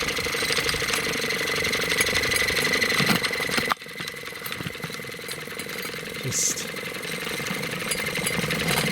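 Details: Bassett-Lowke 3/4 inch scale live steam traction engine, stored in a box for decades, under steam, regulator turned down to run slowly: soft, quick, steady chuffing as it trundles evenly, footsteps on slabs behind; running fine.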